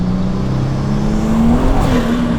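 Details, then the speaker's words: Car with newly installed cast Pure 800 turbo and custom tune, first drive: strong pull with steady rising tone under acceleration, smooth with no flutter or rattle, spinning tires; healthy turbo spool. "oh my god this turbo sounds great"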